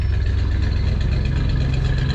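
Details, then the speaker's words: Coachmen Classic motorhome engine with custom exhaust, just started easily and warming up at idle: deep, steady low rumble with an even pulse and no ticks, knocks or misses; healthy warm-up idle. "all right i'm gonna let her warm up a little bit she started up pretty good"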